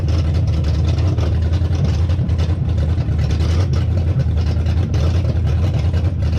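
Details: Hemi V8 swapped into a 1998-2003 Durango/Dakota, first start after disabling the CAN-bus ignition and EVAP: steady deep rumble at idle with no misses or knocks; normal idle.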